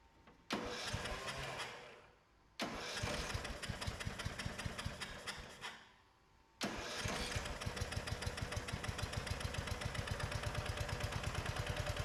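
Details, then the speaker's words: 2004 Craftsman 30-inch Murray-built mid-engine mower started with the coil kill-system ground disabled after a no-spark fault: it catches and dies twice, then runs with an uneven, lumpy chuff. Carburetor issues are suspected and it will be cleaned. "all right well it started it ran doesn't sound too clanky um it's got some cover air issues we gotta sort through it's gonna take the carb off and clean that out"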